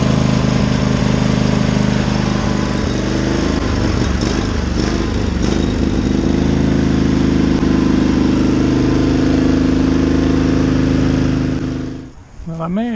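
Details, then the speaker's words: Sears riding lawn mower on a cold start attempt: steady single-cylinder chug at about 220 beats a minute for ten seconds, then it dies; it won't keep running, and the owner suspects trash from the gas tank clogging the fuel line. "I couldn't keep it running I think something's clogged on the field line"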